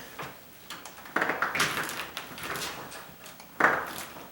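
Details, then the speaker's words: Exterior door closing with brand-new weather stripping, which sticks out further than the 17-year-old old strip: dry rubbing squeak and soft thud at the top corner where the strip drags on the frame. "Because it's brand new weather stripping, it's actually stuck out this way further. It's not pushed in as much because the old stuff was 17 years old. The old stuff pushed in a little bit. But eventually, this weather stripping will relax a little bit, and it will stop making that noise."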